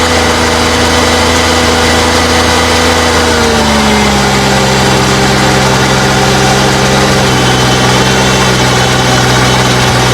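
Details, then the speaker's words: Abandoned Cushman vehicle after second transmission fluid change; idle with a droning whine underneath shifting pitch when engaging gear, fluid pulsing; transmission pump struggling, still low on fluid. "And I noticed that because when it pulses, the fluid pulses. Like when they go. So the pump is really not happy. Pump's not happy down there."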